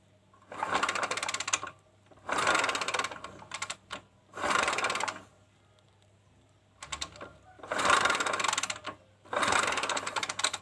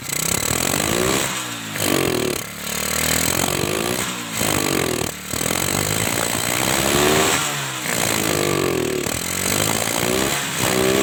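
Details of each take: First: Kawasaki Kaze motorcycle that has lost ignition: five separate kick-start bursts, each a second of quick rattling turnover, never fire. The stator coil was tested and still makes spark, so the CDI is suspected dead; no spark. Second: Kawasaki Kaze motorcycle that had lost ignition, strong spark confirmed, CDI suspected as usual fault; engine starts and runs with buzzy exhaust swelling and dipping with throttle, no misfire or knock; ignition healthy.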